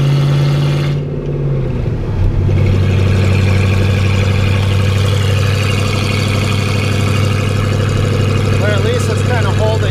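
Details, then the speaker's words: Ford Ranger with freshly rebuilt V8 on first drive; oil pressure strong, temp gauge near 230 though its accuracy is doubted; smooth, even low rumble at steady pitch, no knocks or ticks; healthy. "running pretty good and strong oil pressure is good temps not getting too high"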